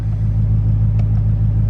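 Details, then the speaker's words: 2020 Duramax diesel in snowy cold after the EGT probes were unplugged to cure rough idle and smoke: a steady, smooth low rumble with no knocks or misses. High idle now engages, unlike before; normal high idle. "All right, that's nice. It actually kicked up on the high idle now. With those EGT probes, it wasn't doing that."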